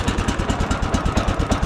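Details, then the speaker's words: Sawmill engine started on choke and run briefly to check everything spins nicely: an even, steady low putter of about nine beats a second with no knocks or misses. Normal healthy idle, engine reportedly good so far. "right it's good engine this thing it's been really good so far"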